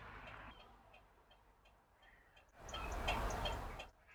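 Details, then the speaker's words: Abandoned, never-road-registered Eagle SS with Cologne V6, battery reconnected for first time in years: light, even ticking about three times a second from the hazard flasher relay; relay cycling properly and hazard lights work. "Can you hear that? We've got hazard lights. Well, we've got the hazard relay."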